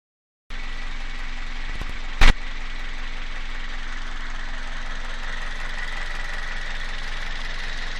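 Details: Toyota 1ZZ-FE engine at idle: steady hum with a faint, dull tapping underneath; engine knock, source not pinned down by ear.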